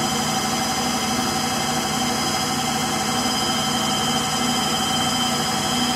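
Loud, constant jet-like roar with steady whining tones during high-speed spin; worn motor bearings.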